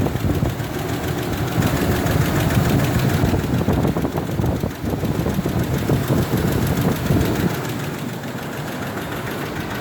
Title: F150 4.2l ticking noise with already rebuilt engine need help!